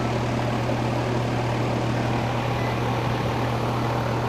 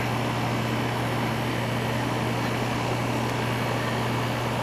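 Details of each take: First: Air conditioner with no cooling: the fan gets voltage and runs, but the compressor gets no voltage through the capacitor and draws zero amps. Low fan hum and whoosh with no compressor kick-in. Compressor not starting due to a bad capacitor. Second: Air conditioner with a no-cooling complaint, switched on after the failed capacitor was replaced. A steady low hum with even fan rush and no clicking or stalling as the compressor comes on. Normal compressor running.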